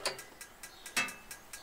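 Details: Truma gas heater in a motorhome/caravan, battery-powered igniter: crisp, regular clicks about four per second, light and sharp over near silence, with the ignition indicator lighting up; the igniter is sparking normally.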